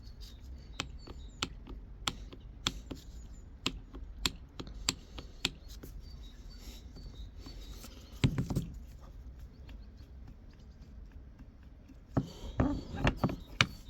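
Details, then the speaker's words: Toyota Aisin MMT five-speed robotized gearbox, 3rd/4th shift knock: sharp metallic knocks as gears are shifted by hand, from 4th gear with axial play, a gap forming on its needle-bearing shaft and sliding back and forth. "конкретно здесь стучит четвёртая А вот четвёртая то есть та муфта что внутри она всё время Ну не всё время вот муфта и шестерёнка это крутится всё время там немножко срабатывает появляется зазор"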